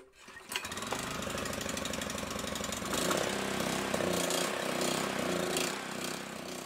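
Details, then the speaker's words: Honda GX200 clone just after a new ignition coil fixed its no-spark problem: it catches and chugs, then idle speed and loudness surge unevenly with the choke closed. Likely a partly clogged carburettor; carburettor cleaning planned. "All right, so the engine finally started, but it's idle surging when the choke is closed, which means that the carburetor is likely clogged a bit."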